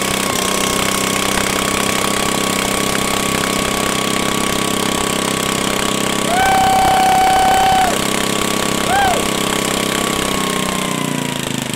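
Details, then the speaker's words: 1974 Sears rototiller small single-cylinder engine, just started after choke linkage repair: high, steady fast-idle buzz with no dip in speed; running too fast, to be checked with a tachometer and slowed down. "it sounds like it's run a little fast where my flashlight at dang Navin put that in my pocket it's running too fast we can slow it down"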